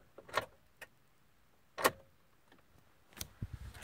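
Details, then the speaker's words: 2013 Ford F-150 5.0L after sitting, ran fine a week before: single sharp click about every second, engine never turns over even in neutral; battery reads 12.3 V; click-no-crank, cause unknown. "like a really over here clicks no crank it all"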